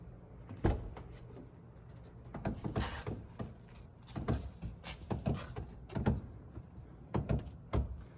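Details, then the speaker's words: Lexus CT200h door check (door strap): each swing of the door brings sharp pops and clunks in short bursts; a worn internal pin, fixable only by replacing the part. "What that is right here, the door check. So you can hear that. There's a little pin in here that just gets worn out, and there's no way to really fixing it other than just replacing the part."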